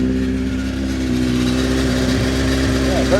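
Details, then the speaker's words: Honda CBR900RR Fireblade inline-four at idle, in for a fuel smell and drips later traced to leaking carbs; a light, busy clatter of about four ticks a second over the idle; rattly cam chain. "You hear that? It's a very rattly cam chain."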